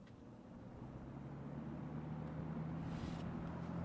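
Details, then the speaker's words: Vintage Robeson Kool One box fan after teardown, cleaning and reassembly, on medium: smooth steady low whir, no ticking or scraping; runs strong, a shaker. "Well, that's pretty powerful. It's a shaker."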